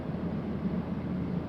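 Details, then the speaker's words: Subaru FA engine with aftermarket exhaust, about 10 minutes into warm-up at 115 degrees, with cold-start ignition retard reduced in the tune: low, even hum with a steady pulse, no roughness or popping. Normal warm-up idle. "so reduce that [ __ ] a little bit and the engine sounds normal it doesn't piss off your neighbors"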